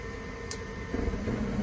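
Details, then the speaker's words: 80% gas furnace during its sequence of operation: after the igniter glows, the gas valve opens with a light single click, followed about half a second later by a soft whoosh as the burners light cleanly; normal ignition. "you can hear that light click and that's followed by combustion you could hear almost immediately the burners lit"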